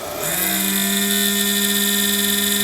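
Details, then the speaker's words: Cheap Chinese power supply cooling fan spins up into a loud steady whine with shrill high overtones from a dry bearing, fixable at zero cost. "Is your very cheap Chinese power supply making this noise?"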